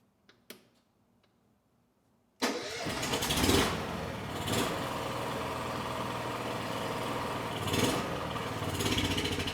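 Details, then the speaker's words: Honda EU6500is generator, about 15–20 years old, after draining water from the carburetor bowl: engine catches and runs with a ragged, hunting beat, swelling in speed and never settling; surging, cause not yet found. "And even after restarting it with the eco switch off, it was surging just as bad as it did before with the wa"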